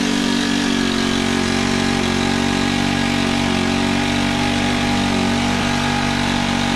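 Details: Honda FG110 tiller with GX25 four-stroke single, after cleaning oil-soaked air filter and with oil low: steady raised-speed buzz with uneven beat, never dropping to idle; overtight 10mm throttle-cable nut holding throttle open, to be loosened.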